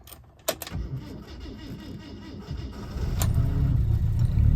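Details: 1967 Alfa Romeo Giulia 1300 TI, very original, cold (about 28–32°), unrun for a week, on choke after fuel pump priming: brief cranking, then catches into a low, uneven but steadily building run. Normal cold start.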